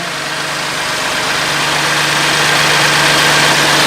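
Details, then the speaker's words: BMW M2 Competition, rebuilt after crash damage, with decats and a previously 630 bhp tune: first start after the rebuild, steady even low idle with no knocks, misses or ticks; normal idle, very quiet. "well it was 630 brake before but now I know it is really quiet you wouldn't know it that's for sure"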